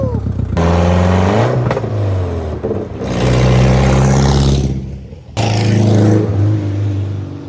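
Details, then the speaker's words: Abandoned Subaru 2.5RS after clutch, clutch fork, pilot bearing, clutch bleed and driveshaft fixes, parking-lot drive up to 4th gear: revs climb and drop cleanly through gear changes, pulling smoothly with no clunks or grinding; normal driving. "Well, there it is. It runs and drives. I got all the way up to 4th gear in the parking lot, and"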